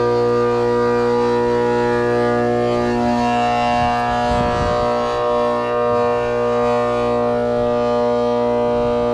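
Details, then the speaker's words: Trane condenser fan motor, quarter horse, 208/230 V, 825 RPM, on a roughly 4-ton R22 system with low head pressure and a suspected leak: a loud, steady droning hum with a hard whine. The bearings are shot and the motor needs replacing. "Clearly that thing is loud as it can be and needs to be changed."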